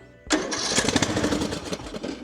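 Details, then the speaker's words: Craftsman LT3000 riding mower, Briggs & Stratton single: fires briefly on carb cleaner sprayed into the main jet, runs ragged, then dies. No fuel reaching the carburettor; stuck float suspected. "That was running off the carb cleaner I just sprayed in there. Now let's see if we can get the fuel coming in."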